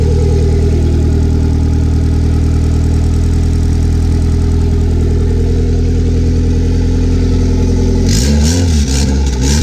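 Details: Honda B18 turbo engine in car, started cold before removal, said to have no issues though starter sometimes acts up; steady even idle about eight seconds, then quick clean throttle blips rising and falling smoothly, normal start and rev.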